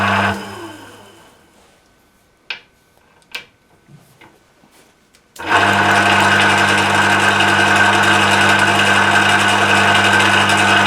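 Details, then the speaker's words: Emco Maximat V10-P lathe after cleanup and a shear pin fix, run through its speeds in neutral. At 248 rpm there is a steady whirring drone with a fast faint clatter; the gearbox sounds rattly, possibly from looseness. "as two four eight that sounds a little beyond the rattly side"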